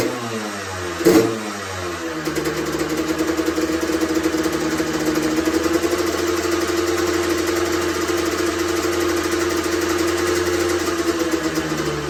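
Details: Honda CR125R two-stroke, first start after full teardown and top-end rebuild over winter, run indoors: crisp blips settling into steady, even idle, no knocks or rattles; normal running.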